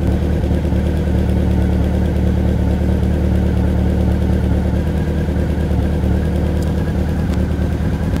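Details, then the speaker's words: Inline-four motorcycle idling during carb sync on vacuum and mercury gauges, with all carbs nearly level except one reading low: a slightly lumpy, uneven beat over a steady drone. Carburetors out of sync; turning that carb's screw clockwise smoothed it. "so these are almost all in line except this one this one seems to be off a little bit"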